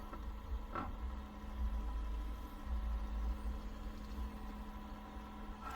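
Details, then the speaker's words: LitezAll portable rechargeable mini fan on speed 1, sitting on a table; quiet hum with a buzzy rattle swelling and fading as the fan vibrates; fan vibration noise. "It does make a weird noise if you can hear that. Okay, yeah, it does make a lot of noise."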